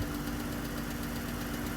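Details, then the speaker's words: Jeep Wrangler 3.6L, manual, after replacing spark plugs for a cylinder 1 and 3 misfire traced to a dead and a weak injector: runs well at idle with a faint quick ticking, most likely a rocker arm on one side. "Runs good. It has a little ticking sound. And most likely it's a rocker arm on this side of the engine."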